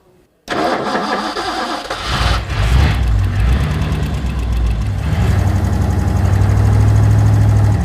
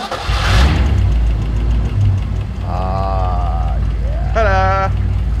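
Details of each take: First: 1964 Ford Galaxie 500 XL V8 cranks and runs with a lumpy idle and won't hold idle. Spraying flammable liquid at the carburetor's back corner traced a vacuum leak: an intake manifold vacuum hose plugged only with a bolt. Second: 1964 Ford Galaxie 500 XL junkyard car after fixing a vacuum leak from a bolt-plugged intake manifold hose: a low, steady idle rumble that holds without hunting or stumbling, shouts over it; engine idling properly.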